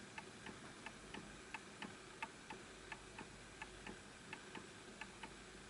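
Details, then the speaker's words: Antique Enfield Westminster chime mantle clock, fully wound: ticking about 88 per minute with uneven tick-tock spacing. The pendulum is out of beat and the clock nearly stops; the fix is nudging it and setting it on a flat surface. "I can tell that that's misaligned because it's still going. So it has to go in perfect rhythm. So I know it's just missed a little bit, so I'm going to push it a little bit to this way."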